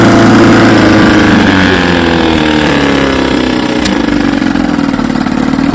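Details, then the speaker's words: 1954 Evinrude 7.5 HP outboard in a barrel test after its frozen power head was replaced; loud, steady two-stroke buzz at even speed with no misses or knocks, runs like a champ. "get yes sir She's a Beauty runs like a champ"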